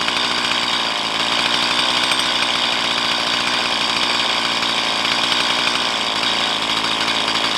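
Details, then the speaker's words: Stihl MS170 chainsaw with 16-inch bar, upgraded with Farmertec parts, after setting idle mixture and idle speed: steady, even two-stroke pulse with no stumbling; normal idle. "This is good enough. Nice."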